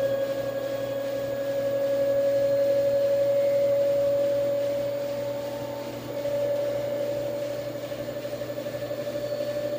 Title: LG washer , new weird noise on spin